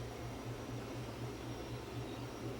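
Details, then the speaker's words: Crest Audio VS900 450 W/channel power amplifier cooling fan: starts at full power, then drops to 49 volts; soft, steady low whir with an even hum and no ticking or rubbing, still moving a fair amount of air quietly. "see when it first starts up it'll start up at full power and then drop down to 49 volts still enough speed there's still a fair bit of air coming off that i can feel the air coming out the side here as it sits without um without it getting too noisy"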